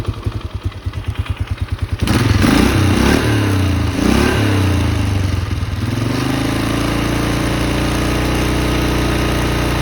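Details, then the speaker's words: 2004 Polaris Sportsman 400 after cold start, owner suspects pressure-wash water in carburetor freed up by throttle blips and black smoke: starter cranks, catches in about two seconds, revs, then settles to steady even idle; running properly now. "I think water got into the car but I must have freed something because now it runs good"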